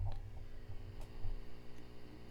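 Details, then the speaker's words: Fender Super Champ XD tube/solid-state combo amp, about 15 years old with Eminence Ragin Cajun speaker, before preamp tube swap: once tubes warm, quiet steady low hum with faint hiss, unchanged by volume; grounding checked, cause unknown, possibly normal. "ahead and switch the amp on and you'll notice when it warms up you'll hear that distinct static kind of sound coming from the amplifier so we'll go ahead and give it a shot so I really hope this is audible to you um again it's not terribly loud"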